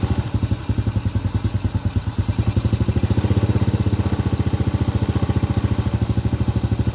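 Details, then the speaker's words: Honda Supra Grand carbureted single-cylinder motorcycle, carburetor needle adjusted: quick, even idle beat with thin, slightly hunting exhaust note; mixture set too lean. "Inilah yang disebut efisien, teman-teman. Terlalu kurus."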